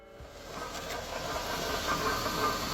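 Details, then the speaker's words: Car that suddenly stopped pulling: steady airy hiss swelling louder over a few seconds with almost no engine rumble beneath; loss of power, cause suspected, not confirmed. "Customer states, "My car just stopped pulling all of a sudden.""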